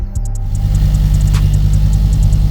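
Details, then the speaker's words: Ford XR5 Turbo started after the gearbox was replaced, coolant still to be bled. A deep, steady engine rumble with an even beat and no knocks or grinding; normal running. "right guys and there we go all back together all started uh got a couple of things to do believe the coolant make sure everything's you know sort of all sorted out but it started it's good to go"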